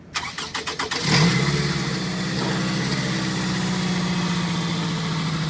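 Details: 2005 Scion tC on a cold start: rapid chattering crank for about a second, then a harsh grinding rasp as the engine catches and settles to idle; cause unknown.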